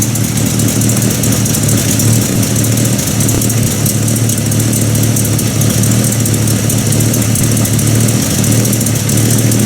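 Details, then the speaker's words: 1950 Buick Roadmaster just started, still needing gas pedal nursing while cold; deep slow even lope, known as a slow idler; slow idle. "Oh Gary did say she is a slow idler not exactly fast"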